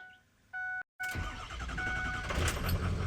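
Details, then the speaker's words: 6.0 Powerstroke diesel after upgraded aftermarket starter replaced failed stock starter: short chime, brisk crank, fires almost at once and builds to a steady rumble; much faster cranking than stock; normal cranking and start. "Ooh. That was actually 10 times better than before. That stock starter sucked."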